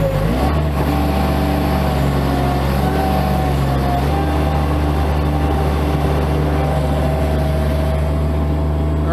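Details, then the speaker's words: Bobcat MT85 mini skid-steer working a full bucket after belt tensioner replacement: steady deep engine drone with no squeal or chirp from the belt drive. The squeak that previously occurred only under load is fixed. "So replacing that tensioner completely fixed that squeaking."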